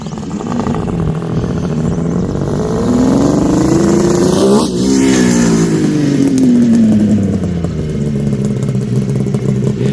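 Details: 1974 Kawasaki H2 750 two-stroke triple, Fast by Gast built, running after 34 years once it got fuel, now starting on a half kick: crackly pass-by, pitch rising then dropping, clean under power with no misfire; normal running.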